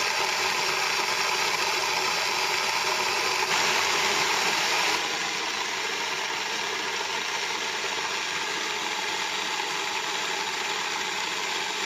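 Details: Small home grain mill (Moulins d'Alma) grinding sieved grain into wholemeal flour; even high grinding hiss with a fast steady patter about four per second, no knocks or squeals; milling normally.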